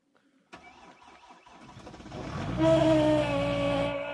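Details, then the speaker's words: 2008.5 Jeep Grand Cherokee WK, 3.0 CRD Mercedes OM642 diesel, 187,000 km, remote cold start unplugged at -27C, 6-month-old battery; cranks and catches, then a steady rising howl over the settling diesel, likely old serpentine belt idler bearings. "Alright, so start up. Sounds like we probably got a problem with the accessory belt."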